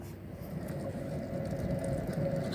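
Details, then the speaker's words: Car with the wheel jacked up and spun by hand gives a deep, gritty rumble with vibration felt by hand; owner reported a problem on that side; the mechanic concludes the wheel bearing is worn or damaged. "tuh kan, tuh suaranya gemuruh banget. Laut kayak gini pasti laharnya rusak ya, mungkin aus ya, terlalu kocak, bisa juga keropos ya."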